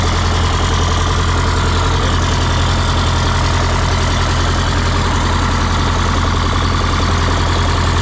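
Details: 1977 MCI coach with 8V71N Detroit two-stroke diesel, restarted after freeing three stuck injectors that caused a runaway: even, steady idle, regular low beat around two per second, no stumbles; normal idle.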